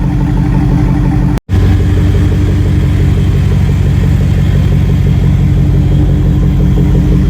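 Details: LS-swap V8 running after VATS was deleted from the PCM; deep, steady rumble that picks up cleanly when revved, with no misses, knocks or rattles: normal running with revving.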